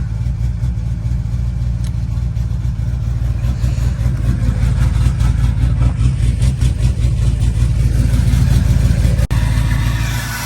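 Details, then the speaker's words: Diesel truck sitting a couple of weeks, just started cold around 19 degrees after glow plugs: steady low even clatter and rumble at cold idle, sounds fine. "There we go. Here we go. Oh yeah, like a champ. She's cold, of course. Might take a minute."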